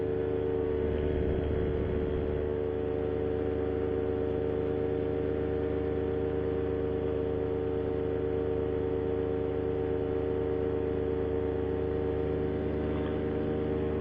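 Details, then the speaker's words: Paramotor in flight after a propeller repair failed shortly after takeoff: steady engine drone with a throbbing pulse about four per second; pilot suspects prop out of balance, heads to land. "Boy, that propeller sounds like shit. Really need to probably get down."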